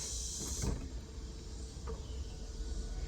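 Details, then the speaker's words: BMW E36 convertible top during the reset procedure: the up button is held with the key turned two clicks for 10–12 seconds. Quiet, steady motor hum with soft clunks as the tonneau cover lowers and the top rises; normal operation. "hear the Tonya cover actually go down, and then the top will go up. As you can see, top is going up."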